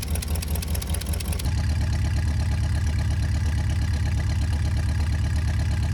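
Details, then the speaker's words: 1972 International Cargostar, idling 5-10 minutes, earlier lifter clatter now quiet: steady, even low rumble with no top-end tapping; settled and running smoothly, though smoking. "it's been humming along for the last like 5 10 minutes or so"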